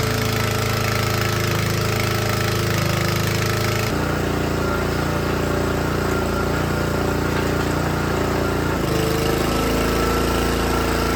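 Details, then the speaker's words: Troy-Bilt log splitter, small Honda engine driving the hydraulic pump: after backing out the pressure adjustment, the note sags twice under load (lawnmower blades simulating a log) but keeps firing steadily without dying. Runs normally under load. "But yeah, I don't have any logs to split. So, but I will say, by making that little bit of an adjustment there with what that setup I had, that engine is under load, which it should be, but it's not dying. So I'm happy with that."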